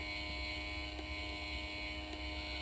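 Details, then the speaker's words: 2012 Dodge Challenger HVAC air door actuator, removed and rigged on the bench: faint tick about once a second over motor hum when pressure is applied; a gear tooth is missing, possibly causing the clicking; new actuator fixed it. "I see that there is a tooth missing right here. I don't know if that's what causes it, but if I actually turn it on and get this actuator and kind of apply some pressure, if I can get it, hold on."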